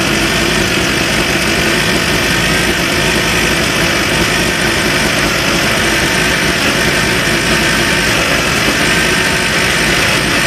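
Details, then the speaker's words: Van after a new carburetor install: a loud, steady idle with an even buzz and rattly vibration on top, with the distributor cap visibly shaking. Rhythm is smooth, and no tailpipe smoke now versus earlier white smoke. "Distributor, it's like the distributor cap is shaking like this, but it sounds good."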